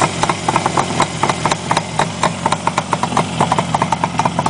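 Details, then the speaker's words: 1967 Yamaha YR1 350 Grand Prix two-stroke twin, all original, just choke-started cold at about 25°F, running without baffles: uneven crackly popping idle with crisp exhaust pulses and no piston slap; normal healthy two-stroke idle. "that's working that's my experience with these videos and motor always sounds noisier than it does but this sounds pretty dang nice for a two-stroke"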